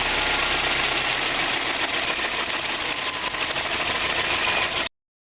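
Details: Subaru STi: a steady light knocking tick at idle that resembles rod knock or piston slap. The actual cause was a bad belt tensioner.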